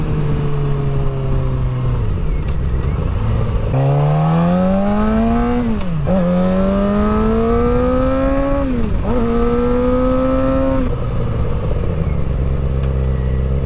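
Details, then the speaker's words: Rebuilt wrecked 2006 Suzuki GSXR 600, first ride after rebuild: clean rising scream through several gear changes, each shift dipping and climbing again without misses or rattles; pulls smoothly, normal under acceleration. "This bike sounds nice. Doesn't seem Man, this thing's nice."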